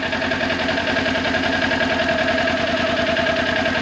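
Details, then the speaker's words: Motorcycle in first gear at idle with no throttle: as the clutch is slowly released into the friction zone, an even light whine rises over the idle; normal clutch engagement. "listen see if you can hear it all right one more time and friction you hear that it's like a whining noise"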